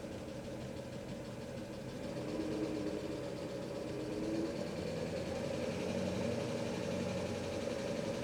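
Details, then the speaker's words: 1997 Mercedes S500 coupe V8 after head gasket fix, warming up from slightly high idle, parking brake released: quiet, steady, even idle with no clear knock or miss; owner thinks it sounds a lot better. "I think it sounds better. I think it sounds a lot better. Maybe that's just wishful thinking."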